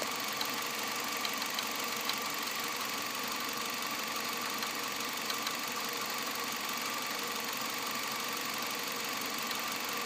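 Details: 2006 Nissan Altima 2.5S four-cylinder, 117,000 miles, at idle: light uneven ticking knock about once a second from the rear upper engine near the timing chain side; source undetermined.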